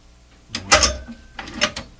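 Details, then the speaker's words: SP-600 communications receiver with rebuilt RF deck just installed, band switch just oiled: two short bursts of rough scraping clicks while changing band, like the switch mechanism grinding or binding; cause unknown. "Ooh, that didn't sound very nice. Ooh, what's all that? Well, I'm not sure what all those noises are."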